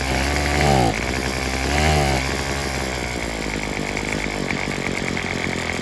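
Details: Craftsman WS210 weed eater after carburetor replacement, with the old primer bulb and diaphragm moved onto the new carb: engine surges up and sags back twice, then runs ragged at part speed, never idling or reaching full revs. Cause unknown.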